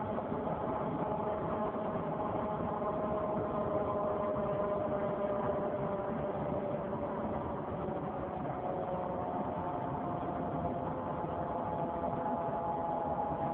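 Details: 2003 Saturn Vue 4-cylinder AWD, check-engine and coolant lights on: loud droning hum near the front driver wheel that changes with road speed; hub already replaced without fixing it, cause unclear.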